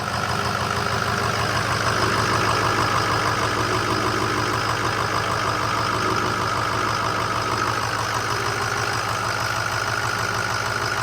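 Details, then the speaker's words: 2005 Ford F250 6.0 Powerstroke diesel at idle, fan off: steady clatter with a deep, even rumble underneath, still heard without the fan; bearing play is felt in the water pump, so the finding is water pump bearing rumble. "vibration still hearing the noise it's not quite as deep a tone but all right so we still heard the noise with it running obviously"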